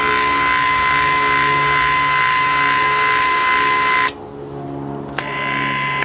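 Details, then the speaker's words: 1956 Zenith 17X20 black-and-white tube TV rescued from a dump, tested on IF around 40-something MHz, CRT disconnected: steady high tone over a low hum, then cuts out cleanly; working audio output, vertical and horizontal still out. "Oh crap, look at that. And it actually sounds like the audio's working."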